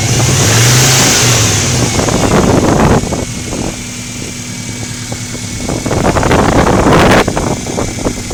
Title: Subaru engine ticking noise at 2000/3000 rpm